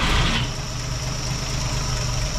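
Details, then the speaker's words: 1958 Chevrolet Apache that had sat for a while, after ignition timing was set, running with the valve cover off on a chilly morning: steady even idle with light fast rocker ticking, no knocks or misses; normal idle. "it is running way better than it was obviously quieter but running better"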